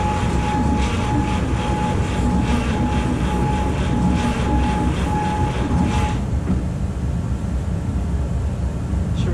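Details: Seized 1951 Chevy 1430 pickup straight-six, last on road 1976, cylinders pickled with oil, cool morning: starter whines with uneven sluggish chuffs for six seconds, never catches; cranks but won't start, owner suspects stuck rings limiting compression.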